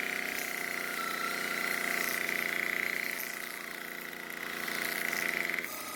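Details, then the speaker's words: Craftsman string trimmer two-stroke after repair and slight idle fuel adjustment: steady high buzz without surging or dropping out; starts and runs fine. "so it starts and runs just fine now and even though the trimmer head would not stop spinning on the table after using it some more it finally stopped"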